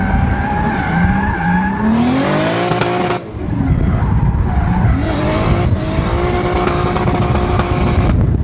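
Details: Toyota JZX100 Chaser, built engine, right-hand drive, fans unplugged, driven on track; run reaching 110°C: revs rise and fall cleanly through gears under tire squeal, no stutter or popping; no misfire.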